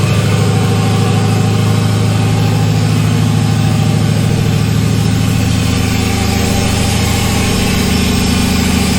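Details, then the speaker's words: LS1-swapped Chevy S10 V8 at cold idle, with no intake tube or air filter and not yet tuned: a deep, steady, loud idle held at about 1500 rpm. Idling high. "It's been idling, cold idle. It's idling about 1500 RPM."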